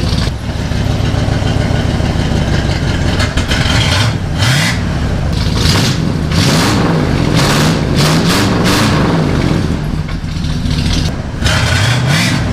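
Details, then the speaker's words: 1977 Chevy C10 V8 idling after fitting a new complete exhaust kit with glasspacks: deep, loud throaty burble with a few throttle blips, running even and strong; normal idle with glasspack exhaust. "all right guys what do you think of that you think it's too loud you"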